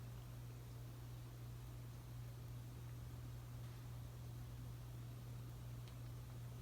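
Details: Casablanca S3 ceiling fan (2002, 188x20 mm motor, Versa-Touch 1B remote) with new capacitor on medium: very quiet even low hum, no ticking, scraping or wobble; normal running.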